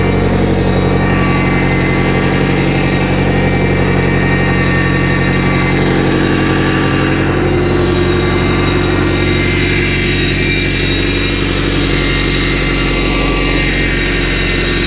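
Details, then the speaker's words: Boat inboard engine during winterizing, steering worked side to side: constant thin whine over steady idle from the power steering pump, fluid low and frothy from a leak, aerated pump. "I can hear the pump whining a little bit. Did you see anything come out? That pump doesn't sound too healthy."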